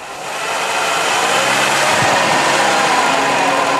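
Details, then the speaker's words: Cheap used Japanese car, black oil, at idle: busy, rattly idle with fine metallic chatter and no clear rhythm; suspected worn alternator (generator) bearing, possibly air conditioning. "sounds like the the generator bearing has gone bad at least that's how it usually sounds very unpleasant"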